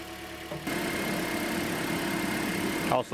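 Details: 2009 Toyota Corolla after water pump replacement (old pump made a mean noise), alternator and belt refitted: quiet engine catches and settles into even idle, no bearing growl or squeal; smooth and healthy.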